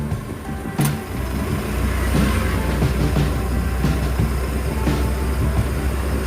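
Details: Suzuki Zebra Espass idling with AC on after the loose alternator belt was retensioned: steady, even low petrol rumble, no belt squeal or slip, voltmeter normal at 13.7 V; healthy.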